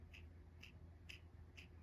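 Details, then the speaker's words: Used roller lifter from 9000+ rpm 500ci big-block Chevy in 1967 Camaro drag car, hand-spun in quiet room: gritty ticking burst about twice a second with each turn; roller bearing is rough. "Hear that? It's rough."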